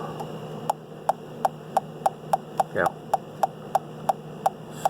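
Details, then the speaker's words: UEI CD100A combustible gas leak detector at a gas fitting opened slightly to create a leak: sharp, even clicks about three per second over a quiet hum as it detects the combustible gas. "So we definitely got a little something there."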